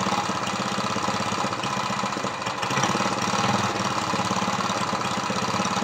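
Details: Dead lawnmower Briggs vertical engine converted to horizontal with an oil splasher; valves lapped to about 60 psi compression. First run with the carburetor leaking: it chugs with an uneven, lumpy beat and soft firing pulses, consistent with low compression.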